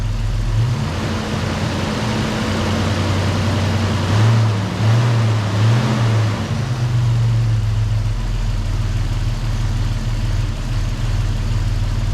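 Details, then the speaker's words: 1994 Toyota 4Runner 3VZ V6 after engine repair, after a brake-cleaner search found no vacuum leak. Not fully warm, it has a quiet steady idle with a brief wavering rise, and the injectors are audible. "well I don't know if uh if we fixed it or not but it's odling pretty good and um the engine's quiet enough I can actually hear the injectors themselves firing"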